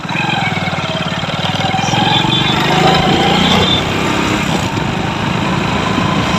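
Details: Hero Splendor Pro after replacing the gear primary drive (GPD), which had caused a harsh engine noise when riding in gear: quick, steady single-cylinder idle beat with no rattle or clatter; normal idle.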